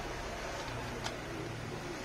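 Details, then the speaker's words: Electric fan: steady low hum with switch click; at speed 1 it hums without turning, slight rotation on speeds 2 and 3; bushing somewhat stiff, stuck bushing suspected. "Walang umiikot pero may Ugong may Ugong siya mga Master pero walang ikot"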